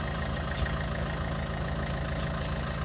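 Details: Vauxhall Astra J after a fuel filter change, with the fuel system primed by cycling the ignition two to three times before starting. Smooth, even idle with a steady low beat and no misses, knocks or hunting; the engine runs healthy.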